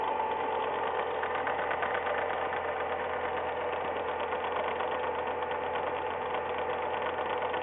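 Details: Ford Ka, semi-new, 10,100 km, first owner, always on Ford-recommended oil, cold engine at idle: light, fast tek-tek ticking over a steady idle, heard for six months only when cold; cause unknown, mechanics disagree.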